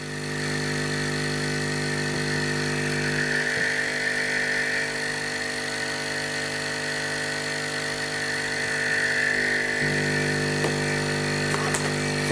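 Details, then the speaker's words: Hailea ACO 318 45 W air assist pump for a laser, hose taken off: steady low droning deep hum under a constant whir; a short garden hose on the outlet removes the bass tone. "but the base tone that seems to aggravate my ears has gone then we just take it off there's like a deep humming noise if you"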